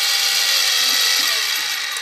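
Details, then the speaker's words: SIEG X2D gear-head mill in low range, mounted low near the camera: a loud, steady, even high-pitched gear whine with no knocks or grinding, normal gear-head noise, much louder than the belt-drive mill. "So you can hear there's a fair amount of noise, and if I try to talk over it, you can get some sense that it's actually pretty loud."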